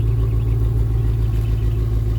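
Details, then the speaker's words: Buick Rainier at idle after swap to custom Flowmaster exhaust with resonator retained; deep, steady, smooth drone with no rasp or rattle; exhaust sounds healthy, much better. "Let's see what it sounds like. I'm kind of curious. We'll see if it dies. Not bad. Not bad at all, actually."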